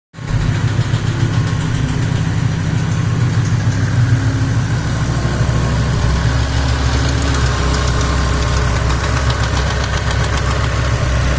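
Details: 2007 BMW M6 S85 V10, manual, idling warm: fast light ticking over deep rumble, developed after sitting months on old expired oil; persists after oil change, barely audible cold, very apparent warm; cause unknown.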